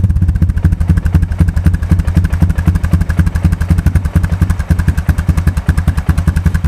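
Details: 2002 Honda TRX250EX Sportrax, sat outside 10 years, first run after a blown fuse was replaced: loud, irregular clattering at a slightly high idle, about two knocks a second, traced by stethoscope to the clutch area; clutch adjustment suspected.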